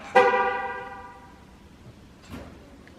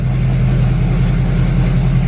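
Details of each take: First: Chevrolet Duramax L5P diesel truck, all stock with the factory turbo, cold start before a Stealth 67 turbo install: after a horn chirp it fires straight into a strong, steady idle with no stumble. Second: 2020 Duramax L5P just fitted with Stealth 67 turbo, first start, very cold, reduced-power and many warning messages: deep steady rumble, no turbo hiss; owner suspects turbo actuator not working; rough rumbly idle.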